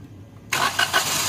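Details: Suzuki Alto (about 2019–2021) that showed DTC P0336 crankshaft position sensor range/performance with long cranking; after repair, a short crank burst catches within half a second and settles to an even run: normal quick start.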